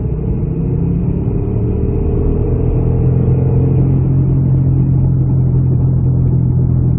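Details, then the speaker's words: Rear wheel bearing on a 2006-2012 Ford Fusion 2WD, heard from inside while driving: a steady low hum under road noise that swells and holds as speed builds. The bearing is almost totally shot; earlier failure makes the same hum, only quieter. "But that's what it's going to sound like once it gets bad enough back there where the bearing is almost totally shot. Before that, you'll hear the same noise, just won't be as substantial. And that's how you know you have a wheel bearing that's failing."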